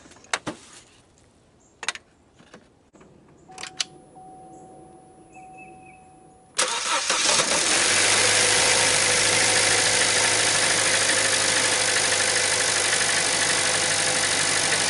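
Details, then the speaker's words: 2012 Chevy Cruze 1.4L after replacing corroded spark plugs and the ignition coil assembly for a P0304 cylinder 4 misfire: starts after a brief crank and settles into a steady, even idle with no misses, running smooth before warm-up and a load test. "Sounds like it's running pretty smooth. I'll take it for a drive and check it out under load."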